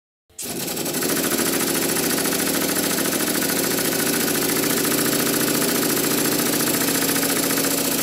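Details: Model triple expansion steam engine with a sloppy reversing shaft, run at varied feed pressure: fast, even chuffing with light mechanical clatter at a steady pace; runs smoothly and responds to pressure, though a bit slowly.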